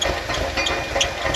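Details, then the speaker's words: 1988 VW Vanagon warming up from cold at about 20 degrees, after replacing engine bay coolant hoses: an uneven, lumpy idle with irregular thumps and hissy bursts, an unplaced smell, coolant spewing when revved; rough running, cause unknown. "This does not sound healthy. Doesn't sound healthy at all."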